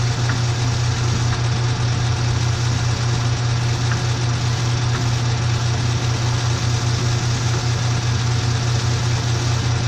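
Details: Kobalt KM 2040 battery lawnmower motor armature spinning in a lathe while its commutator is cleaned with commutator chalk: steady low hum with a faint light tick two or three times a second; smooth, even rotation.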